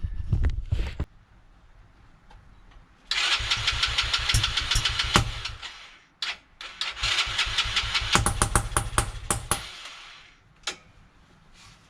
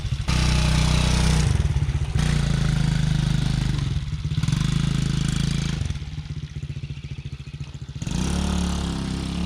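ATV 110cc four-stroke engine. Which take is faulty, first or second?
first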